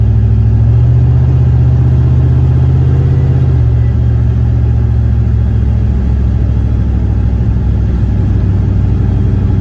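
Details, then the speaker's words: Turbo LS V8 Caravan on the road during lunchtime tuning with laptop, little ignition timing and no knock sensors fitted (removed after false knock): deep even V8 rumble stepping down smoothly with revs, no knocking, sounds healthy. "It sounds healthy. I'm glad I don't have much timing in it, and I don't because knock sensors."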